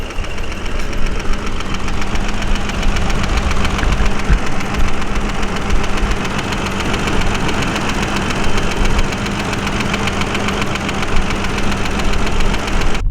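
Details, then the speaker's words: High-mileage BMW 535i at idle: fast, even valve-train ticking rides over a steady idle throughout; owner calls it valve noise, adjustable but not being adjusted on this car. "All right, now I got it fired up. Gotta love all that valve noise, eh? Apparently those can be adjusted, but it's not gonna happen with this car."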